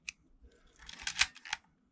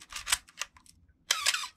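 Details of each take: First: Canon A1 film camera after oiling gears to fix the Canon cough/squeak: crisp, dry shutter firing at 1/125 with no squeak or drawn-out groan, normal operation. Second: Canon A1 camera firing with a short raspy squeak in the shutter cycle, the Canon cough from gears needing oil.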